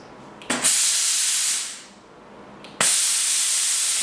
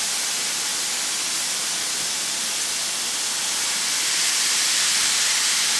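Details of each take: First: Braun steam generator iron unused about 10 years, limescale-blocked, after soaking with descaler and refilling with water: two strong, even hissing steam bursts over a second each, cutting off cleanly; steam flowing freely again. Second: Braun steam generator iron, roughly 10 years little-used, descaler added, very hot: loud continuous hiss swelling toward the end as steam vents, scale-blocked generator clearing lots of limescale.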